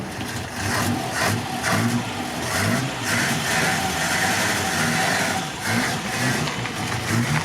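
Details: Mk1 Ford Cortina original 1200 petrol four-cylinder, after cleaning points and getting fuel up, carburettor diaphragm leaking slightly: engine runs and picks up revs with steady even note, no knocks or misses; normal running.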